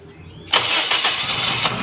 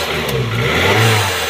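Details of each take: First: Petrol car that would not start and shut off when accelerated: air pipe by the MAF sensor was off and drawing air; after refitting the pipe it cranks briefly, catches cleanly and idles steadily. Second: Petrol/CNG car after backfire won't stay running: engine catches briefly, runs roughly and stalls, with airy hiss over low rumble from an air leak at a loose intake pipe.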